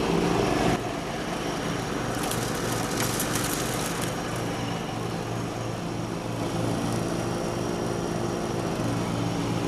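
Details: 1989 John Deere RX75 riding mower mowing: a steady engine drone under cutting load, blades swishing through the grass, holding speed without stumbling. The deck may be cutting a little low; it is mowing normally.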